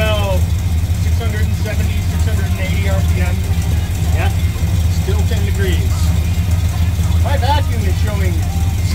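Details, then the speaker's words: 1967 Dodge Dart after 2-barrel to 4-barrel carburetor swap, cold, warming up with choke: low, lumpy, loping idle that never settles; significant vacuum leak suspected, not confirmed. "at this point I'm sure that I've got a pretty significant vacuum link so I'm going to close the choke as much as I can to see if I can't smooth out the idle a bit"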